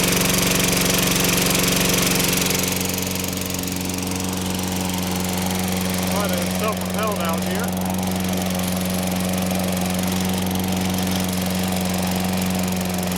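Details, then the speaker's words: Toro Personal Pace 6.5 GTS mower with Tecumseh engine, running after carburetor cleaning and clearing all passages; settles into an even, steady drone with clean hum, no misses or surging. Normal running. "here oh yeah sounds good personal pace run works well going to let this run a while"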